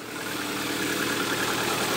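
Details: Lada Granta started in frost on a discharged battery using a jump starter rated 1100 A peak: engine catches at once and settles into an even, steady idle, no stumbling or ticking; normal cold idle.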